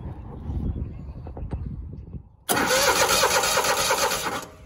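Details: Grasshopper 225K zero-turn mower at 150 hours, fuel pump pulse line checked and tank line reinstalled: quiet ticking, then a loud, even churning crank for two seconds without firing; strong cranking, good fuel pumping confirmed, carburetor likely dry.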